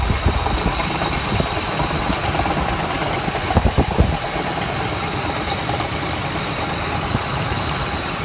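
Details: Ford F-150 Triton petrol V8 at idle with a busy, uneven rattle and a few louder clattering knocks.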